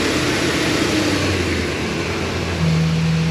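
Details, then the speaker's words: 2002 Ford E-250 van engine running after being reassembled and coolant flushed, filter held over the intake: rough uneven drone with a low hum that steadies near the end; odd noise of unknown cause. "Going to try something real quick with just the filter over the that input there and see if it stops the that weird noise. I don't know why it's making that noise."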